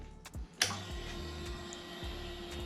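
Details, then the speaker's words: Rebel motorcycle at key-on after a dead battery or starter no-start: sharp click then low soft whir for a couple of seconds as the fuel pump primes and cluster lights; starter does nothing. "we can hear the fuel pump kick on we can see the cluster comes on"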